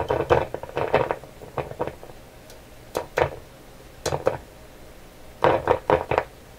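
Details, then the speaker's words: Canadian General Electric KL-96 tube radio after paper capacitor replacement, first testing, no signal getting through: tapping the table or tube gives sharp knocks in uneven bursts from the speaker; tube microphonic due to loose can. "What is so sensitive on here? This one's microphonic. This tube here. It's a loose can."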